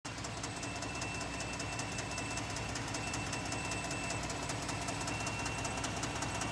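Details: 2018 Ford F-150 3.5 EcoBoost on cold start: quick, fairly even light ticking, about two to three a second, over a steady hum; loud clunking/clicking noise, cause unclear.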